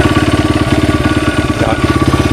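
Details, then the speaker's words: 1994 Honda XR100R after carburetor rebuild, started with choke on: crisp, even single-cylinder putter at steady idle, no misses or knocks; a nice running bike. "You guys could hear it. It's a nice running bike."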